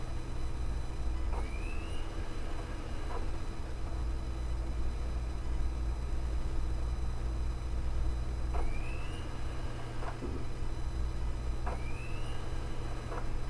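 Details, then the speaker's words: Desktop Asus optical drive in a tower writing a DVD-RAM disc: low steady hum with a rising whir every few seconds as the disc spins up and settles, the same cycling as a laptop drive; normal spindle speed cycling for this format. "so it certainly seems as though the behavior from the laptop drive isn't necessarily abnormal for the format but the laptop drives certainly I don't know if it's speeding up more but it definitely takes longer to speed up"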